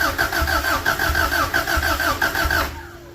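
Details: Cold start in snow of an old time-capsule vehicle missing a wheel spindle, with a battery fitted after wiggling the terminals: the starter churns about three beats a second for nearly three seconds but it never fires. Cause unconfirmed.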